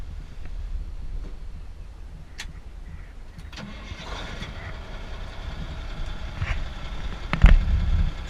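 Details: M932A1 5-ton military diesel truck, rebuilt at Red River Army Depot in 2005, odometer showing 575 miles: cranks briefly, catches and settles into a steady low rumble with no knocks or misses. A healthy start with great oil pressure.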